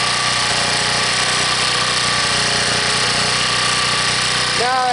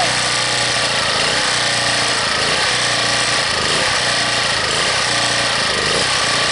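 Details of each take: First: Harbor Freight 1800-watt generator after a cold start at 15 below, now warmed up, off choke and before half load: smooth, even drone with no surging or hunting; normal idle. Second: Harbor Freight 1800-watt generator cold-started at 15 below, on full run with no choke: engine speed surges up and down about once a second under heavy hiss; it hunts until it warms up.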